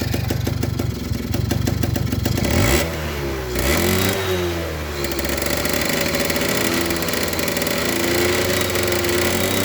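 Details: Suzuki RC100 two-stroke after cleaning the carburettor pilot and main jets; starts and idles well but blips break up and stumble instead of climbing cleanly, won't rev high and feels fuel-thirsty; stutter at high throttle, cause unconfirmed.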